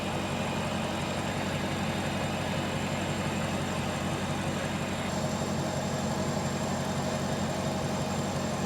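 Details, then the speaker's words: 2020 Dodge Charger Pursuit AWD with Hellcat-supercharged 5.7L V8 swap, running untuned before going to tuner: deep, steady loping V8 idle, no knocks or misses; runs fairly good though data shows it's not happy. "It runs fairly good with no tune though. Yeah, it really does."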